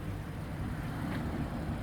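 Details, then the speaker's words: 2017 BMW 740i xDrive at idle: a low, smooth, quiet hum with a faint light tick from the moving parts inside the injectors. This is normal for the car. "but I can assure you this is how these car is supposed to sound it's very quiet it's very smooth"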